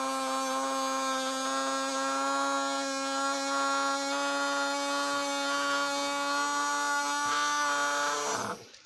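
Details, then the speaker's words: Die-cast Alco FA1 model locomotive (unknown make, Varney-like motor), motor run on its own after cleaning the commutator: steady buzzing whine for about eight seconds with a slight rasp, like cutting wood. It otherwise spins freely. Normal running. "sounds like i'm cutting a piece of wood but other than that the thing runs really good"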